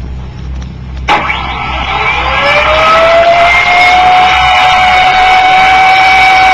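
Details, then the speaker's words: Mid-1960s Turbonique monopropellant turbo supercharger, two Stromberg 97 carburetors with throttles open, unrestricted compressor discharge for maximum load: sharp crack at light-off, then a whine climbing quickly to a steady high scream; clean, healthy spool-up. "this allows the compressor to do the maximum amount of work the turbo compressors acceleration will naturally be greatest under any other conditions of compressor loading the supercharger test follows"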